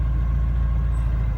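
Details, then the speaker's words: Porsche 944 started after at least three months sitting, reconnected battery: steady idle rumble with a thin, constant high whine over it that doesn't change; owner says the whine was never there before, source unknown. "that I can tell you was never there before."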